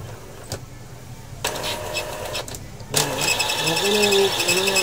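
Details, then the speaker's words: Epson L3110 printer after encoder and gear reassembly (had abnormal gear noise, general error with paper and ink lights blinking): motor whirs and gears turn with a steady rising hum, no grinding or skipping; gear mechanism now running normally. "Wala na ung tunog niya itong umiikot niya ngayon ito yung normal niya na"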